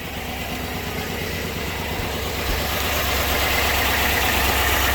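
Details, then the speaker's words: Silverado V8 idling with valve cover off: slightly uneven loping beat from a dead cylinder; one intake rocker not bouncing, bad stuck intake lifter causing misfire, engine to be torn down. "all right so if you look at the rockers they're all bouncing except this one right here so you got that one that's not bouncing so we got a bad lifter on the intake and cylinder sticks right there there it is bad lifter got to tear it down"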